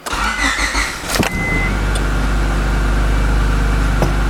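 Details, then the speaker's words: Honda EF sedan with P06 ECU converted from automatic to manual, new O2 sensor, after swapping ECU to restore fuel pump: brief crank, clean catch, steady even idle with no misses or knocks; normal start and idle. "And it starts up and idles decent, so. Good deal."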